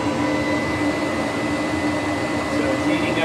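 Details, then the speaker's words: Gas heater in a greenhouse just switched on after the exhaust fan: sparking ignition then a steady, even roar with a faint thin tone, no popping or surging. Burner lit and firing normally. "oh there's that sparking sound is the gas going through the pipes all right"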